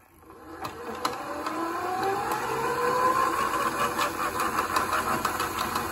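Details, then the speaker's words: FXB Fish 16-inch 24V hub-motor e-bike that takes off slowly compared with another bike. The motor whine climbs slowly in pitch on a lazy takeoff; a loose chain and possibly binding brakes are suspected of adding resistance. "his Chain's really loose too which if that was pulling hard on the motor that would create resistance"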